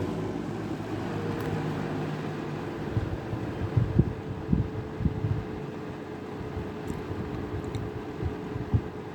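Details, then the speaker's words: Vintage 1983-1984 Sears 453-812100 20-inch Lasko-made fan on low speed, which has the most motor whine: quiet airflow with a faint, steady mid-pitched whine and otherwise quiet. Normal low-speed motor whine. "Low speed's got the most motor whine. Yeah, it's pretty quiet other than the whine."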